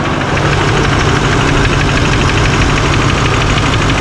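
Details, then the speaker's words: Rebuilt 2024 Chevrolet High Country Duramax diesel on first start after reassembly: loud, dense idle with fast steady clatter underneath despite good oil pressure; owner suspects a lifter or injector, knocking at idle unconfirmed. "Check the they got lots of oil pressure, it says, but sounds like a lifter or something, but so it does run. It kind of make a little bit of a noise there."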